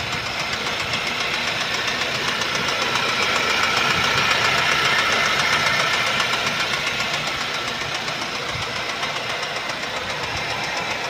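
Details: Mercedes-Benz C180 S204, 2012, M271DE18AL 1796cc 156hp petrol, 159,658 km: hard, very even deep knocking about three to four per second at idle, caused by a knocking crankshaft (bottom-end bearing knock).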